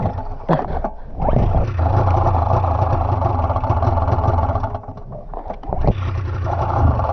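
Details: Budget snowmobile two-stroke on choke, restarted after dying again: rough, surging run that sags and nearly dies, then picks back up unevenly; won't stay running. Cause not confirmed.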